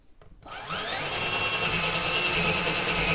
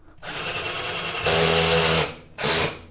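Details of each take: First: Black and Decker LDX120 drill in forward on drill setting boring through wood: steady high-pitched motor whine with faint chatter as the bit cuts, smooth and even; drill working normally. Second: Black and Decker LDX120 drill on a low torque setting while drilling: motor whine climbs and holds while the bit stops advancing; torque clutch slipping.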